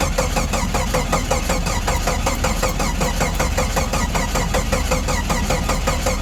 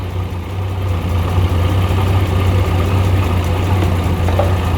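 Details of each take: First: 1989 Jeep Comanche 4.0 automatic 2WD cold start: starter churns steadily about seven seconds without a single catch, then stops; cranks but won't start, though it started yesterday on a jumper box. Cause unconfirmed. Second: 1989 Jeep Comanche 4.0 automatic, jumper box disconnected to test alternator: smooth, even low idle hum holding steady five seconds without stumbling; alternator working, idles fine.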